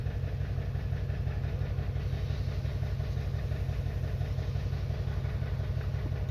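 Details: 2021 Toyota Camry rough, lumpy idle with roughly two stumbles a second instead of an even purr. The misfire is caused by an internal ECM fault in the ignition coil control circuit.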